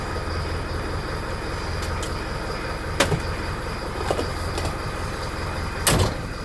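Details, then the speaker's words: 20-year-old Mercedes Vario campervan diesel, started with a battery booster after a winter parked with flat batteries: steady, even idle with no knock or miss, a few clunks from the cab; healthy engine. "Let's get ready to try and turn it on without squashing it. I'm going to have to lean over the seat. There you go. She starts."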